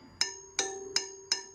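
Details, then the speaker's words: Sur Ron Light Bee wheel spokes tapped during a tension check: four crisp metallic pings ringing with a bright sustained tone, a properly tight spoke, unlike a loose one that sounds like a thud. "so that this is a good this is probably good right here see how that makes a pinging sound"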